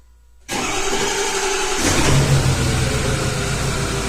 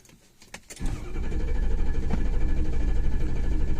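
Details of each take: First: 2006 Ford F350 6.0 diesel, towed in for crank-no-start, after clearing debris that stuck the ICP pressure regulator open: short crank, then it catches with a brief rev and settles to a steady idle, ICP 1300 desired/actual; normal start and idle. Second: 2006 Ford F350 6.0 diesel crank-no-start: fast, even starter cranking that never catches; injection control pressure 24 psi against 955 desired, regulator stuck open by debris through its screen.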